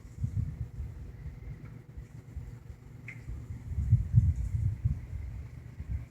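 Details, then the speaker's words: 1960–61 GE W-15 variable-speed box fan on low speed: low even hum with faint steady whine and a slight buzz from the rear metal grille that cannot be stopped; running smoothly. "this particular fan low is really low and the buzzing that you'll hear is that that back metal grill I've yet to be able to get it to stop buzzing"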